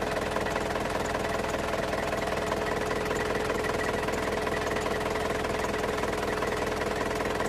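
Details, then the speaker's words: Isuzu Crosswind diesel idling after an oil change: a faint constant whine and regular clatter at about two or three per second. The suspected source is the alternator belt or the aircon belt; this is unconfirmed. "Yun lang mga boss kung mapapansin niyo nagkaroon ng ingay dito sa makina ang possible niyya na pinanggagalingan mga boss dito yan sa alternator belt at sa aircon belt niya pakinggan niyo maigi mga boss."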